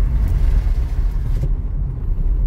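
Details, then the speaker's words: Toyota Corolla at 100,000 km, road test after correcting wrongly assembled front shock mounts and wrong-size stabilizer bushings: only smooth low tyre and road rumble, no clunks or knocks over bumps; the suspension noise has stopped. "sou capaz de afirmar para vossas senhorias que o barulho que estava incomodando o nosso inscrito parou"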